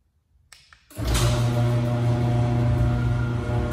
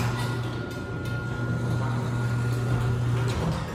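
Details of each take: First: I have this Liftmaster garage door opener and it is making a lot of buzzing noise vibrating noise when it opens and closes Second: Neighbor's garage door opener for comparison: quiet motor, low steady hum and light mechanical noise, good install, unlike the owner's buzzing, vibrating LiftMaster.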